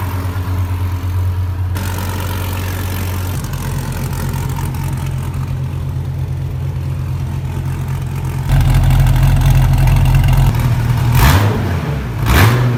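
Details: Wrecked 2014 Dodge Viper TA under rebuild, V10 with cam and straight-pipe exhaust: loud, choppy, lumpy idle holding steady, then a couple of sharp throttle blips near the end; normal idle.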